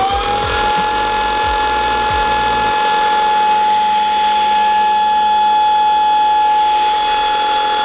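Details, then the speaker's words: INSE S6 cordless stick vacuum after two months of heavy use, gum caught on the carpet roller and a strip pulled out: steady high motor whine with irregular rattling flutter that fades; cause unclear, hair later found tangled on roller. "I don't know what's making that noise"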